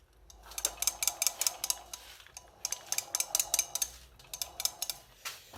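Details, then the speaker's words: MBK 51 moped rolled forward, not started, with bright metallic clacks as the variator strikes the cover screw heads. The screws were filed, and filing the variator boss was planned. "Que quand je fais avancer la mobilette, ça touche. On entend tous les briques claquer sauf ça."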